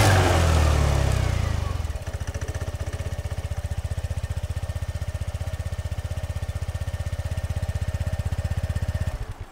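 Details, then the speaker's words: 2021 SYM Jet 14 125i scooter at 25,000 km, rated 74 dB: a brief blip, then a quiet, steady idle putter with no misses or knocks. A faint crackle comes from a loose license plate. "Er ist mit seinen 74 Dezibel echt nicht der lauteste, was ich eigentlich sehr gut finde."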